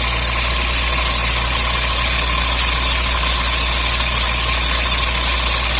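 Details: MGB engine at idle, new water pump fitted summer 2019: constant high hiss and chatter over the low hum, strange top-end noise, cause unclear.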